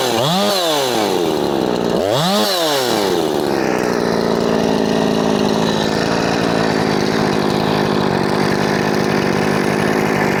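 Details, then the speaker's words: Husqvarna 357XP chainsaw after carb work, all new parts, in a cut: two quick revs then steady high scream with no four-stroking; possibly lean, more fuel to be added. "I can't hear it a see the way it sucked me in je going to give it more fuel"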